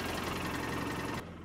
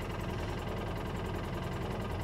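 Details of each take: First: 2013 Polaris Ranger with code 651 injector misfire and low power, after replacing the broken injector wiring harness, battery weak: even, rapid twin-cylinder pulsing at idle with no skips. Both cylinders firing, normal idle. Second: 2013 Polaris Ranger with low power, check engine light on and engine code 651: uneven, stumbling idle with a skipping exhaust beat; one cylinder misfiring from a broken injector wire connection.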